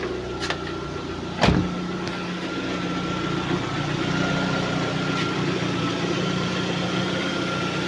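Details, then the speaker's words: Lada Priora engine idling at about 55 degrees after piston replacement: quiet, even, steady hum with no knocking, diesel-like rattle or piston slap after a brief clunk; smooth, healthy idle. "Вот так работает мотор. Ну, по сравнению с тем, как он долбил, он просто дышит и шепчет."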